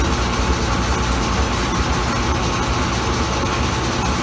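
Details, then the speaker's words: Kenmore Laundry Center top-load washer, many years old, regular cycle, cold/cold water, large water level: loud heavy rumble with a thumping beat about twice a second during spin, drum shaking hard, cause unclear. "So yeah, this is how bad this thing does make noise."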